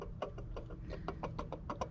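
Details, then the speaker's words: 2011 Jeep Grand Cherokee WK2 3.6, serpentine belt removed, AC compressor clutch pulley spun by hand: rough uneven ticking and rumble from a failed pulley bearing; fix is replacing the clutch assembly. "that means that the bearing on it has went out and that's why it's making that weird noise"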